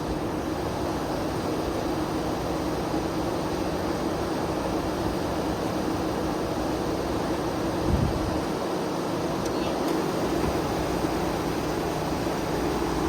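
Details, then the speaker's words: Via Motors VTrux, V6 engine driving generator through front clutch; morning startup, engine revved with generator clutch fully engaged, generating electricity: smooth steady drone with fan whoosh, no rattle, running evenly under generator load. "Okay, so this is the clutch fully engaged. This is not the rattle, okay? So the engine is revved up. The engine is generating electricity through the generator."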